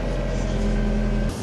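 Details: Chery QQ (Sweet) after fuel pump replacement, following a sudden no-start: engine starts and holds a steady, even hum with a smooth low drone, no misses or knocks, before cutting off.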